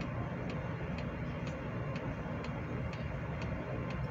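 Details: Hcalory 8K all-in-one diesel heater on its lowest setting drawing about 25 W via 12V supply from a Baseus 420W power station: soft even ticks about twice a second over low fan hum, dosing pump pulsing normally.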